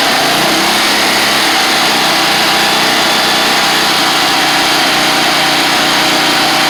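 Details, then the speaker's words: Gravely 260Z Kohler V-twin after removing the faulty DSAI ignition module: steady, even buzzing idle with no misses, surges or stumbles, good spark; throttles messed up after the plates were taken off; runs and shuts off on its own. "Idle's good. The throttles are all messed up cuz I had to take all the plates and stuff off of it. But there we go. It's running."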